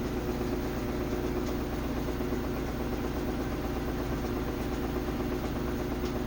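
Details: Samsung WF330ANW front-load washer on spin: a loud rumbling drone with grinding or metal striking and heavy vibration, with the drum slightly out of alignment and quiet washing. The owner suspects a loose part, shock, spider bracket or bearing.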